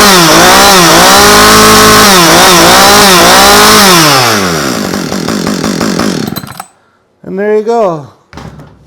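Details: Husqvarna chainsaw after recoil starter spool replacement, primer pushed and choke on: buzzes and revs up and down with throttle blips, cuts out, then fires again eagerly; starts and runs normally.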